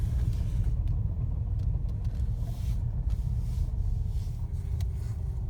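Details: Fiat Panda while moving, suspected gearbox problem: heavy low rumble with a faint whirr slowly dropping in pitch and scattered sharp clicks; cause not confirmed.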